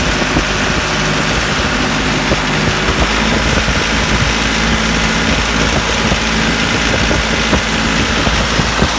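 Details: Branson 3520H tractor diesel, after adjusting valves for a tapping/knocking from slapping valves: steady, even idle with no tapping; valve train now quiet and healthy.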